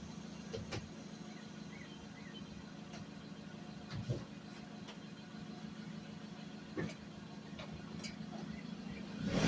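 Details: Suzuki Vitara revived after sitting 13 years, run 15–20 minutes at a time to free up: low steady engine hum with a few light blips, no knocks or misses; running evenly and healthy so far.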